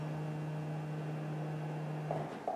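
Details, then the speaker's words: Honda Odyssey with parasitic battery drain: power sliding door latch hums steadily then cuts out with light clunks; latch mechanically latches but won't electronically release, then gives warning beeps; door switch suspected culprit. "this root latch is not functioning as it should comes open it will mechanically latch however it will not electronically release"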